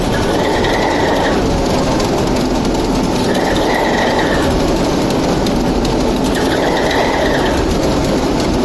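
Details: TEP70 0237 locomotive V-16 diesel, first start after repair: steady deep drone with even rumble and a periodic airy sweep, no knocks or misses; normal running.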